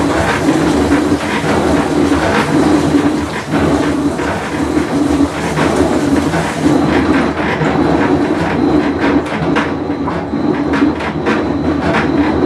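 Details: Whirlpool Cabrio washer with bad bearing during full wash cycle: loud, constant rough rumble with steady droning hum while the drum turns; worn tub bearing.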